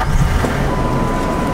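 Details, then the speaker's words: 2002 Ford F150 XL regular cab, manual, 172,000 miles, started in hot weather: cranks and catches first try, settling into a steady, even run without misses or knocks; a clean, healthy start. "doggone it crank right up on the first try I like that"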